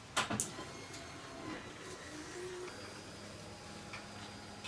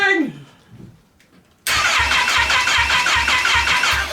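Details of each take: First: Kawasaki Ninja H2 engine salvaged from a crashed bike, with fresh oil and filter, makeshift tank: faint steady electric whir of the fuel pump priming before a start attempt, engine not running; normal priming. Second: Wrecked Kawasaki Ninja H2 engine bought on eBay, first crank after oil and filter change, kickstand and starter lockout switches unsorted: starter turns it slowly, about two and a half even compression pulses a second, no firing; spark unverified.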